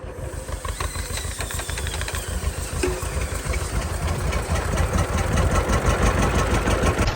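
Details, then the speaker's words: 83-year-old John Deere B sitting 20 years with stuck engine, first start after freeing it, oil pressure up, fuel on, no cooling system; slow even two-cylinder putt about three beats a second, no misses or knocks; it runs. "I don't know if we're running or not he's a runner awesome we got a lot more to do this thing but the fact that it runs that just makes me so happy"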